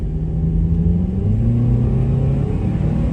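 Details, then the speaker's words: 2005 Honda Element after replacing clicking, shaking aftermarket axles with new genuine Honda axles: steady low engine and road rumble, no clicking or vibration even at full throttle and in a turn. "no vibrations no Vib ations whatsoever even at Full Throttle and in a turn"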